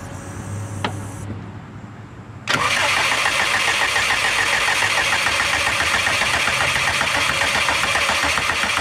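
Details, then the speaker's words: Subaru after fresh new spark plugs, tested coils and a return to its originally running tune settings: the starter cranks evenly at about four pulses a second for six seconds, but the engine never fires. Crank, no start, cause unknown. "Well, I'm definitely not happy. Um, it's not starting, obviously, as you can see."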